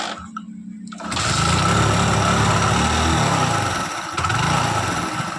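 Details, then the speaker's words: Hero Splendor Plus after fixing magnet noise and refitting the carburettor: engine catches after a second and settles into an even, steady putter with no tapping or rattle on top; normal idle, magnet noise gone. "Bike की आवाज़ अब और नहीं कोई समस्या उत्पन्न नहीं हो रही है"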